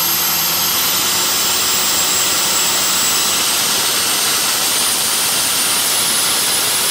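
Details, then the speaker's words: Hyster with Cummins 8.3 (505 cid) diesel, HX40 turbo with machined small 6cm exhaust housing, no load: very high thin whistle creeping upward over steady diesel rush; about 35 psi drive pressure for under 20 psi boost, housing too restrictive, later replaced by HX55 11cm. "so you can see like 35 pounds to drive if not even 20 pounds of boost so that's not good plus that's with like no load on it so that's not good either the housing's just way too restrictive for this size engine"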